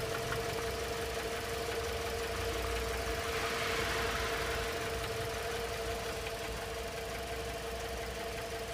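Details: Toyota RAV4 at steady idle, heard at the open oil filler: fast, fairly regular tapping over a constant hum, much louder with the filler cap off, unchanged after switching to thicker 10W-40 oil; owner first suspected hydraulic lifters: engine knock of unknown origin.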